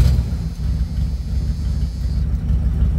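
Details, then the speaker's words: 1987 Dodge D100 idling right after start following new fuel pump, V-belts and vacuum line delete; low steady rumble, even beat, no knocks or squeals, running better though owner says it still needs some tuning; no fuel or oil leaks. "oh yeah fired right up sounds like it's running a little bit better still need to do a little tuning on it i think to get it to get just right but it sounded a lot better"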